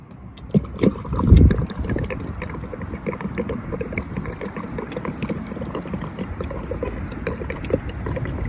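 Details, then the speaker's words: 1998 Ferrari 456 GTA V12 after storage, recently misfiring and shaking: now idles with a steady, even low rumble and no stumbles. Bad fuel, plugs, coils or fuel filters were suspected, and new plugs are to be ordered. "all right well actually so far it seems really smooth seems like it's kind of idling pretty good it sounds pretty good"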